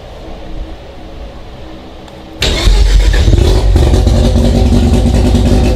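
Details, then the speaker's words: Mazda RX-7 FC3S rotary on flex fuel, Haltech Elite 1500 ECU, stock BAC valve set to 10 Hz and 60% max output, not yet tuned: starter catches and it settles into a loud, steady, fast idle that never drops; high idle. "I dropped it down to 10 Hertz and 60% output max. Those are the main things that I changed, and it does still idle very high, but the point is we can get it fired up and idling even with this flex fuel setup before we've seen the tuner."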